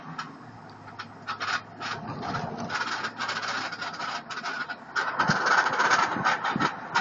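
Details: 2003 Chevy Tahoe while driving: an uneven tinny rattle in quick bursts over a low vehicle hum, occurring only during the first half mile and then disappearing; intermittent rattle.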